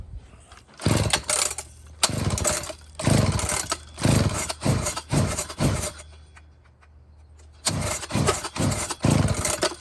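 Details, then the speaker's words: Old chainsaw, warm: repeated pull-start bursts, each catching briefly then dying within a second; fuel present, no visible air leak, owner suspects a wrong points gap causing loss of spark when warm. "I think the points gap is weird. That's what I think happens. It gets warm and then it won't start."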